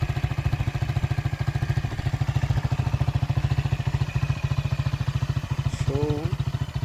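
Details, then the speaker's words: Honda Titan motorcycle at idle after engine rebuild (connecting rod, cylinder parts and rod bearings replaced), previously with tappet and rod noise: steady, even low thump with no knock or rattle; running healthy. "Agora ligar a moto aí para ver a zoada. Nem se compara."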